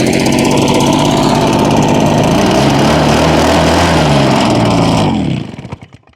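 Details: Husqvarna 150BT backpack blower two-stroke after replacing leaking fuel lines and tank grommet and fixing a broken kill-switch wire: buzzes steadily at high speed, then dies cleanly at the switch; normal running and shutoff.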